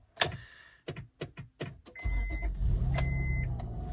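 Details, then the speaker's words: 2002 Acura MDX with a faulty ignition switch: clicks and clunks, the engine catches and runs roughly, then dies with all electrics off; touching the key restores power. Stalling from a faulty ignition switch. "See if it just shuts off. There it goes. It just died. See how everything's dead?"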